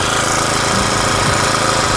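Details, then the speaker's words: Honda GX35 brush cutter after cylinder rebore repair, warming up: a steady, even idle buzz at about 1,500–1,700 rpm with no knocks or misses. Some smoke is expected from burning off cleaning oil; normal idle. "เสียงเงียบกริบเลยหนึ่งพันห้าร้อยรอบต่อนาทีก็เดินเบาหนึ่งพันเจ็ดร้อยหนึ่งพันหกร้อย"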